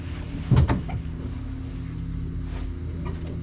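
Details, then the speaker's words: 1974 Plymouth Duster slant six, 904 transmission, sitting since 1987, gas poured in carb, choke open: a pop or two then low uneven churning that never catches; cranks but won't start, fuel delivery suspected. "she's trying come on [Music] I think if we can get some fuel to that thing we'll have a running car"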